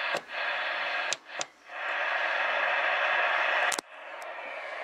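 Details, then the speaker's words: Realistic TRC-451 CB radio after a full recap, receiver with gain turned off: constant hiss with scratchy crackles and pops, like a leaky old tube audio stage; a faulty transistor is suspected, not confirmed. "a strange one there for sure what's going on here test one two one two one two one two one two one two test one two audio what sounds like an old leaky old tube gear have a bad audio tube get all noise and Scratchy and stuff well that's what dis is sound like it's the best I can describe it"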